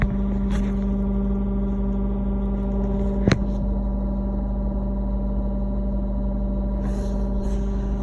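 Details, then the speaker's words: Lexus GS F parked: steady loud low-pitched electrical buzzing hum from under the driver's seat, also heard on passenger side and rear seats; cause unknown, recurring issue. "It's like a buzzing sound. It's coming right under here. I'm not really sure what it is, but it is extremely loud."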